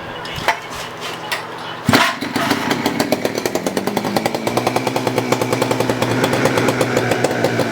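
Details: Poulan Counter Vibe 4200 chainsaw after fuel line replacement, tank cleaning, new carburetor and new fuel cap seal: a couple of failed pulls, then it catches and settles into a quick, even two-stroke popping idle, running normally.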